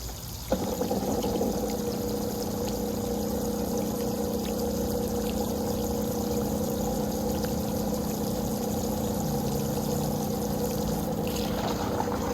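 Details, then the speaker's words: Old above-ground pool pump converted to pond pump, after partial priming by filling from the garden hose: steady motor hum with thin trickle and gurgle; weak flow, poorly primed, sucking air. "Got a trickle. That doesn't sound too horribly good."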